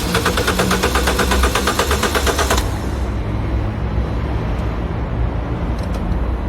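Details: Citroën DS3 cold start, which fails when cold but starts fine in warmer weather: starter cranks fast and slightly unevenly under three seconds, no catch; owner suspects coolant temperature sensor or another sensor, unconfirmed; detaching Valvetronic helped a little.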